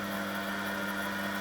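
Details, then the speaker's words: 1996 washing machine commutator motor after replacing worn brushes and dead bearings, test run: smooth steady whir with a constant tone and no crackle or scraping. No brush fire; slight rumble heard, drum bearings suspected. "gonna see if there's any brush fire. And there is none. Sounds good to me."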